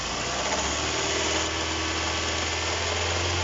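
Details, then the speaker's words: Kia Cerato at idle: rough gritty knocking/grinding rumble traced to the alternator, not the engine block; causes found were worn alternator bearing and loosened lower alternator bolt. "Здесь тихо. Шум исходит от генератора. Ладно, хватит. Оно на самом деле стучит."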